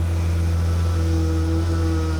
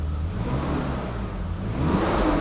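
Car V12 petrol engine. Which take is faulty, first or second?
first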